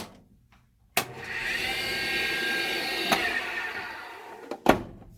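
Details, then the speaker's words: Ariston stackable dryer in an RV: motor (535) starts with a click and runs with loud high whirring whine from worn bearings, noise echoing through belt and drum; motor replaced a year earlier; bearings to be replaced. "so what that is is to bearing inside the motor is making noise it's the belt ties to the drum inside the dryer and it actually echoes the noise"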